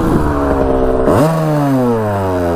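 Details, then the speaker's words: 1982 Kawasaki KX125 two-stroke on first ride, starts first kick even cold, air filter off so maybe a tad lean: crisp buzz snapping up in pitch and winding smoothly down, free-revving with good pep; clutch working. "it's really sounding good look at that clutch is working it's got a lot of pep to it for 125."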